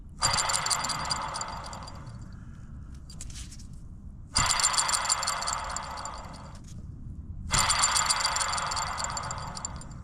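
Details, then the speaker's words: Classic Mini Cooper RSP rear wheel hub spun by hand with brake drum removed: three bursts of gritty, rattly scraping from a worn-out rear wheel bearing. "You can hear that kind of scraping, rough, rattly, which says that that bearing is past its sell-by date."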